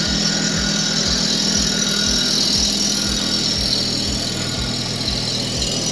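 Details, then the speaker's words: Toro Greensmaster 3250D cylinder mower reel on a spin grinder, wheel traversing slowly to remove taper before setting the program: harsh steady hiss of stone on steel over even low thumps about four a second as reel taper is ground out. "so I'm gonna make it go slowly across we've got to get that taper out before we set our program right"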